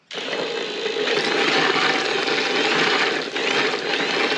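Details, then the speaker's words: Even, steady whirring gear noise with drill buzz on top from a Willys CJ-2A T-90 transmission with cheap replacement gears, spun by drill on the input shaft with the cover open; no knocks or grinding, sounds normal. "Now you hear it being a little noisy. I think that's just because this cover's wide open, you hear everything."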